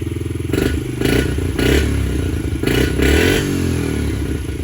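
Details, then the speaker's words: 2019 Yamaha TT-R50 after rejetting with a larger pilot, started with choke fully off: four or five sharp throttle blips each drop straight back to a steady idle without hanging; previously cold-blooded engine now runs clean. "Idle comes back down like it's supposed to. It doesn't hang. Runs absolutely perfect."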